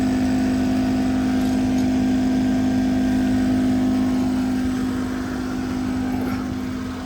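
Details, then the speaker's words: 2014 Mercedes S550 W222 Airmatic, driver-side compressor (aftermarket unit, previously failed) under diagnosis: steady even electric hum at constant pitch, no rattle or strain, as the car raises after being lowered; pump only kicked on once lowered, running normally here. "Okay, it's raising the car. All right, you hear the pump running."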